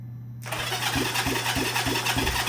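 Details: Honda CB360T twin, not run for many years, cranking on the starter during compression test after valve lapping (about 120 psi right, just under 100 left): starter whirs with even pulses about three a second, no firing; cranks freely and evenly.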